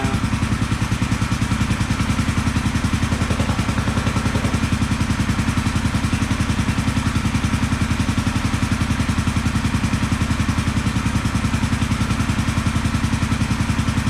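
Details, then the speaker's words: 1974 Honda CB450, sat for a couple of years, after adjusting the ignition timing: an even, regular idle at about three and a half beats a second, both cylinders firing cleanly with no misses; normal idle. "she is running nicely on both cylinders"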